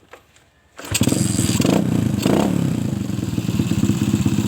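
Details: Suzuki Shogun motorcycle, trail-converted for heavy loads, running without an air filter, tested right after cleaning a clogged carburetor: catches after a brief crank and settles into a steady, even single-cylinder idle with no stumbling. Finding: normal start and idle.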